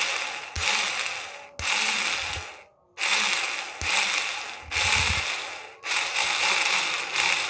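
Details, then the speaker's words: Motorcycle starter motor rewound with thicker enamel wire and more turns for extra torque, bench-tested: repeated short raspy whirring spin-ups and rundowns with a gritty edge. A bearing inside sounds slightly rough. "deh sudah ini untuk bir di dalam sini sedikit agak kasar untuk suaranya ya"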